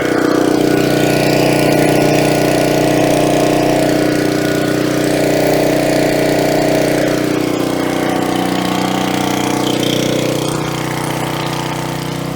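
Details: Coleman Powermate 3750 generator, about 9 years old, stored on non-ethanol gas, clean air cleaner and near-new plug, started on choke and warming up before load: smooth, constant drone with no surging, knocking or squeal; running normally.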